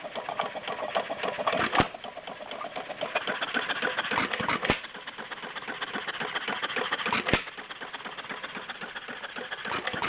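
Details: Warm Stover CT-2 hit-and-miss engine, 2–2.5 hp, choke fully open, about 500 RPM by tachometer: slow firing beats a few seconds apart with coasting between, very little smoke; usual healthy hit-and-miss rhythm.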